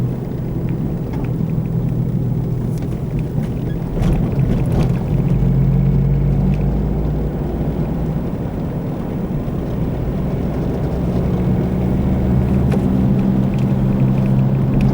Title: How to recognize the noise of a bad wheel bearing while driving